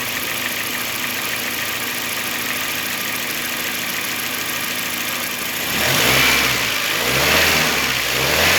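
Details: 2005 Honda Jazz GD3 i-DSI automatic, engine hot, engine oil and filter just changed, new fan motor; steady, even petrol idle with no knocks, then a couple of smooth throttle blips; engine sounds healthy.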